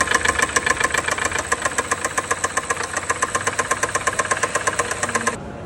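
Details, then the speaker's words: Rolls-Royce Cullinan V12, 1,300 km mileage: hard, heavy knock three to four times a second over the running engine, stopping at shutdown; seized, scuffed piston, cylinder 7 overheated with scored skirts. "Qiladish yopishib qolgan. Qisilib qolgan. Shuning uchun ustuk berib olgan."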